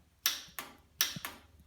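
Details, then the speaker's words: Old Farmall tractor being revived, ignition on: sharp single clicks about a third of a second apart, no cranking; solenoid pulls in but starter never turns; suspected stuck starter or bad solenoid contacts. "You know what that means? That's the solenoid working, but the starter doesn't."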